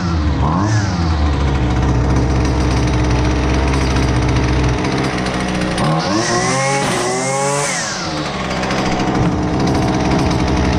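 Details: Husqvarna 128LDX two-stroke string trimmer, fixed after sitting unused, during carb tuning of high and low speed jets: buzzes at idle, pitch climbs sharply and falls back as mixture is set; responds cleanly, normal running.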